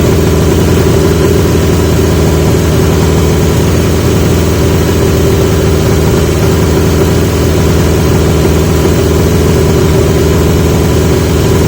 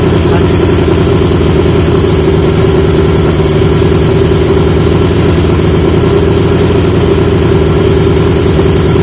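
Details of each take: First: 1980 Yamaha XJ650 with new (old) pipes; steady fast idle that never drops; idle screw backed off fully, not touching the plate, carb throttle plates not closing fully; owner wonders if needle height is the cause. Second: 1980 Yamaha XJ650 four-cylinder at steady idle after fitting new (old) exhaust pipes; smooth, deep, full burble with no ticks or rattles; much better, healthy running.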